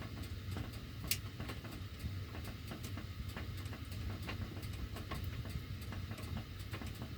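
Sharp, uneven ticks and clicks keep popping over a low steady rumble while the heat runs; the cause can't be pinned down from this.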